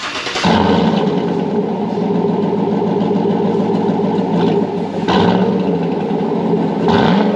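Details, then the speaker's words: Chevy Tahoe 5.3 V8 (new reman warranty engine with new phasers), started after a used Corsa exhaust was fitted: deep, steady burble with light blips and no rattles, ticking, banging or exhaust leaks. "runs that's cool that sounds way more nicer I like it you yeah no rattles nothing banging on anything listening for some leaks I don't hear anybody"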